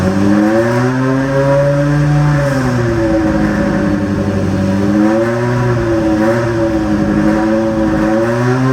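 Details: BMW M3 V10 swap with new 10-into-1 headers and 5-exit exhaust: loud fast idle at 2,200 rpm, blips up and settles unevenly; high idle, owner suspects idle not yet set up; rattle suspected at crossmember, coolant climbing without fans.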